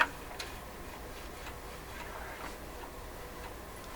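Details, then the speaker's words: PYE 39HC shortwave broadcast receiver during dial pointer setup: soft irregular light ticks, two or three a second, as the tuning capacitor reaches its maximum, fully meshed end stop while the pointer runs off the end; normal. "Okay, the clicking is the capacitor reaching its maximum spot."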